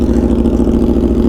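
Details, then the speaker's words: Aprilia RSV4 V4 with SC Project CR-T exhaust after a Gabro Upmap T800 ECU flash tune: even, steady idle pulses with no lumpiness or hunting. Previously lumpy, cam-like idle is now resolved. "the idol is nice and steady it's not lumpy doesn't sound like a cam create like before"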